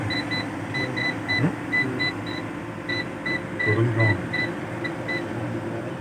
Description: What could be the problem? The UPS is making a continuous tone alarm sound.